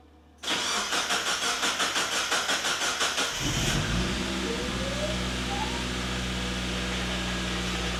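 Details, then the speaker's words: NB drift car's first start, back on the ground, after a new pilot bearing, throw-out bearing, Deatschwerks fuel pump and filter. Several seconds of even cranking, then it catches into a smooth, steady idle; the fuel pump makes an odd noise; normal start. "we just finished up just put the car back on the ground kendle's going to start it up uh fingers crossed everything's all good"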